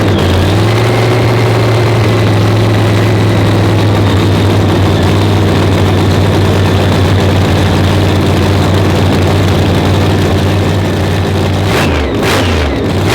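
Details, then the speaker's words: Blown Hemi race engine with dry sump, fresh 50-weight oil, being cranked to check timing and lean out cylinders seven and eight that were spitting: heavy even lumpy idle, deep steady beat, two cylinders come alive, no misfire gaps; normal idle. "hear them other two come alive oh yeah it sounded good"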